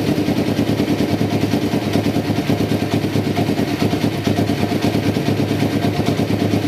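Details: 1993 Kawasaki Vulcan EN500 bobber project, first start after removing the reed/air suction valve and installing and synchronizing the carburetors; mixture not yet tuned. Even twin-cylinder thump, about three beats a second, with crisp blips; carbs sound well balanced.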